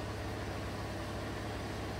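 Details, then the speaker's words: 2016 Chevrolet Colorado 3.6L V6 after spark plug replacement and walnut-blast intake valve cleaning for P0300/P0303 cylinder 3 misfire, codes cleared: steady, even smooth idle, no stumbles or skips, engine running cleanly; normal idle. "i'm sure it's going to be okay running nice and smooth now"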